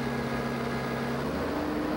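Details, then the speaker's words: Toyota 4FG/4FD-series forklift with a 5R engine during a torque converter stall test: the steady drone drops pitch once as the engine falls from no-load governed maximum speed to loaded speed. The spec is a 200 rpm drop, and this truck meets it, so the stall speed is normal. "listen this time as the engine drops from the no load maximum govern speed to the maximum speed when loaded"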